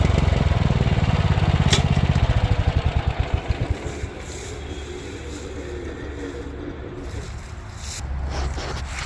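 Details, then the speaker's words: Power King stump grinder after replacing failed cutting-wheel bearings, grinding a stump with freshly sharpened teeth: firm engine drone pulling down as teeth bite wood, no knocking from the wheel; clutch growl normal; running smoother. "So, but yeah, knocking noise is gone from the wheel, so that's good."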